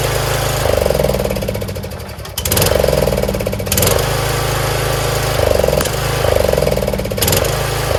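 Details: Troy-Bilt Pony lawn tractor single-cylinder after valve adjustment and fresh oil, started with choke: fairly even thump with brief throttle blips, no clatter or misfire; idles normally.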